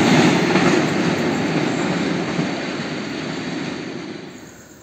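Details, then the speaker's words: Indonesian train running on welded rail with no gaps between rail lengths: a smooth, fading rush with almost no clickety-clack from rail joints. This is normal running on continuous welded track. "guys suara tektek tektek tektek hampir tidak terdengar ya guys ini karena memang rel sudah tersambung dengan mas tidak ada renggang di antara dua rel ya dan itu menjadikan naik kereta lebih nyaman guys"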